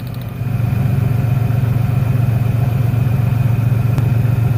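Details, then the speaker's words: 1996 Ford Ranger 3.0L V6 lacking power, lumpy pulsing idle with a stumble; pulling this plug lead changes the sound, so this cylinder fires; plug leads tested one by one to find the dead cylinder. "desconectar este cable ese cilindro ya no trabaja se nota un cambio en el motor eso me dice que es el cilindro si está trabajando"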